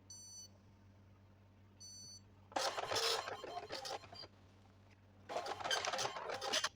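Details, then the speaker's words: Epson LX-310 dot-matrix printer after print head jam repair and carriage calibration, power-cycled for a test print: short beeps, then even bursts of rasping pin-head chatter as the carriage sweeps. Printing is back to normal. "oke, jadi printnya udah selesai, udah kembali normal lagi ya."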